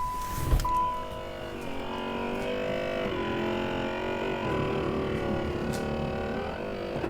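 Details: 1996 Cadillac Fleetwood Brougham power antenna, mast previously not extending fully, now after WD-40 on each section: a steady motor whine for about six seconds then a clean stop, normal full extension.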